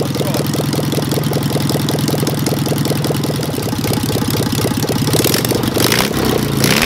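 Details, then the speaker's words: Engine with Solex 30 PICT carburettor after refitting the original needle valve, timing nearly right: stumbling, uneven beat with dropped firing pulses and a rev blip, still misfiring; owners suspect partly a valve problem, possible knock uncertain. "yeah she's popping somewhere but i'd say some of it could be valve problem"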